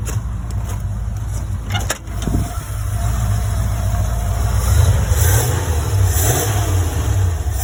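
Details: 1975 Ford E100 van, revived and gravity-fed fuel, alternator suspected of not charging, battery voltage dropping: deep, smooth rumble rising and settling as the throttle is blipped, no knocks or misses; healthy engine revving.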